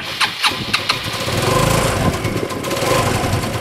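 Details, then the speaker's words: MBK two-stroke moped after reassembly, including air intake, started on the electric starter: four quick cranks, then it catches and settles into a steady two-stroke buzz; clean, healthy start. "Wie ihr hört, er ist da."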